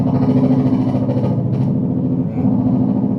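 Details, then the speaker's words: Faulty Ibanez Tube Screamer TS9 guitar effect pedal with a short circuit: a low, uneven helicopter-like chugging pulse under the guitar, with the sound the same whether the effect is on or bypassed; the pedal is motorboating. "sama aja ya dan ada suara guduk guduk guduk guduk guduk gitu ya."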